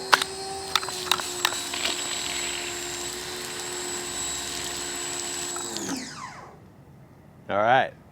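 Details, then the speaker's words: Ryobi 1600 PSI electric pressure washer with 15-degree nozzle: motor whines at a steady high pitch with no water load, then winds down; pump lost its prime and is running dry, the second priming issue. "the second priming issue I've had and I got it on film"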